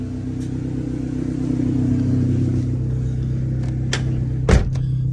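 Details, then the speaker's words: 1998 Honda Civic after a cheap counterfeit MAP sensor was replaced with a Denso 3280 stock-type sensor: steady, even low idle with no stumble or miss and no sensor codes; running smoothly. "No sensor codes popping up. It's running is pretty good."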